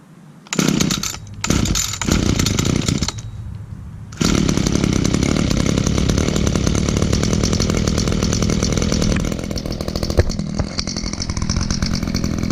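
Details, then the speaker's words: Echo power head (interchangeable attachments, carburetor failed once before), started in 76°F North Texas weather: a couple of quick pulls, then it catches and settles into a steady, even buzzing run with no misfires; healthy two-stroke running. "alright let's see how it starts well I think it fired"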